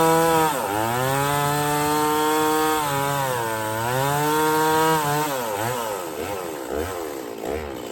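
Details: Stihl 024 chainsaw after carb tuning and a makeshift aftermarket air filter, cutting firewood under load: screams at high revs, pitch dips as it bites and recovers cleanly, no missing or stumbling; runs healthy.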